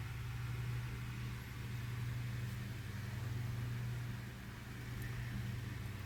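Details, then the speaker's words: Lasko 9" desk fan model 2154 (1988-89) on high speed after oscillation gearbox modification: low, steady, smooth hum with no knocking or catching, slight remaining resistance at the gearbox tight spot; runs much smoother than before. "but so far as I'm hearing it it actually runs a lot more smoother than what it did before"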